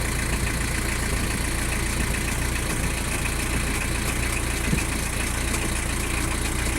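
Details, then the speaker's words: Citroen BX 17 diesel, cam belt recently changed, idling after start while the suspension height pump raises the car to maximum height: steady, even idle with a constant low drone, no knocks or misses. "Okay, let's start the car up so you can hear it starts up alright."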